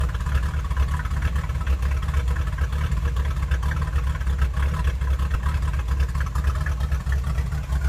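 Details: 1966 vehicle idling roughly just after a cold start: deep, loping, irregular beat roughly once a second; cause unknown.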